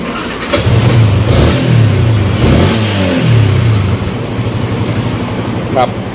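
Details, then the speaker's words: Yamaha Exciter after an engine rebuild, which included a new crank-side bearing, a new throttle return cable, an exhaust header and an ECU box. The single revs up and down smoothly without knocks or rattles; it runs quietly, unlike its loud noise before repair. "ก็ตอนนี้เครื่องก็เงียบคลิปนะครับกลับไม่เหมือนก่อนที่มาแล้วครับ"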